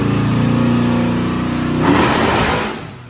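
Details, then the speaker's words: Malibu on the dyno at wide-open throttle with a two-stage nitrous kit (150 hp jet first stage): hard pull breaks into ragged popping and sputtering when the second stage engages, throttle lifted; engine stumble, suspected too little ignition timing rather than rev limiter. "Billy knew as soon as the second stage come on that the car wasn't happy and he let off the throttle. At first, I thought maybe it hit the rev limiter, but looking back, it sounds like it doesn't have enough timing in it."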